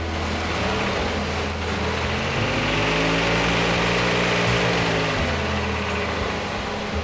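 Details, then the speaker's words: 1988 Chevrolet S10 Blazer 4x4 V6 revving up and down: dull repeating knock about four a second; it kept being driven, oil pressure dropped to zero at a stoplight, then constant rod knock. "knocked for a while, I kept driving it. Until... Oil pressure dropped to zero at a stoplight. That's... not ideal. After that, rod knock all day every day."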